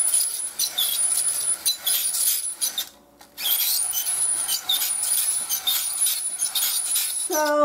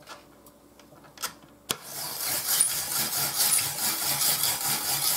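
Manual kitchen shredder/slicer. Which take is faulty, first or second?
first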